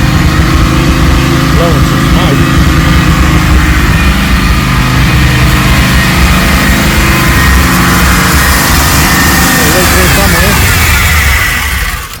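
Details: Rebuilt Holden VT Clubsport V8 on first start-up, base timing set, bigger injectors, running rich. Lumpy, uneven idle with occasional stumbles instead of a smooth burble; rough running, and owner suspects the cleaned, previously failed plugs. An injector was later found leaking.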